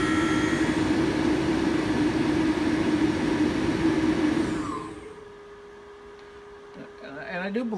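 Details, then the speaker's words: HPEVS AC-35 induction motor on a DIY Hübner inverter, bench test at 24 volts with no load: a strong, steady electric whine at high rpm, apparently in field weakening mode, for several seconds, then winding down to a faint hum. "that it's going into field weakening mode on white ramps up and spins it's a high rpm 24 volts but it is no load"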